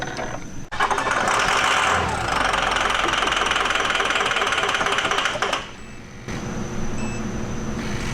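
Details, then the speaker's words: Ford 6.0 Powerstroke diesel in a flip truck, after hard starting with black smoke. The engine catches and settles into a steady, healthy injector clatter at idle, then shuts off. "yeah you hear all all the injectors sounds pretty [Applause] good"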